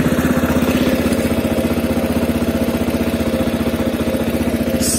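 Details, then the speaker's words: CSC RX3 single-cylinder motorcycle started after its first valve adjustment and fuel line clamp repair: steady even thumping idle with no misses or surging, only a very slight valve tapping that the owner considers normal; healthy running. "i don't know if you guys can hear it like i hear it but the the valves they're a tiny just a tiny bit of tapping and um reading the csc website you know they said tappy valves or happy valves so i'm not concerned with that sounds great everything works again"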